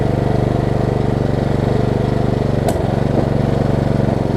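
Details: Lowe's riding mower after battery conversion and fixing ignition issues, no blade fitted: small single thumping about four beats a second, holding speed with brief dip, no backfiring, owner unsure it has a governor; now runs.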